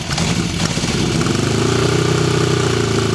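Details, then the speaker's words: 1974 Honda CB750 Four idling after a cold start, cold-blooded: it settles into an even, steady four-cylinder beat with no ticking, knocks, piston slap or valve-train noise. It runs better warm. Normal idle. "Motor sounds good with no ticking, no knocks. Can't hear any piston slap, any valve train noise. It sounds pretty good."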